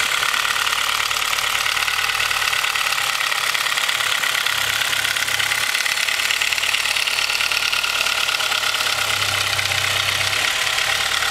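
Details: Honda H22 with Mahle Gold Series pistons, cold idle: loose hollow rapping mixed with ticking, piston slap from slightly too loose piston-to-wall clearance; rebored with oversized pistons after about 5k miles, no skirt, wall or ring damage.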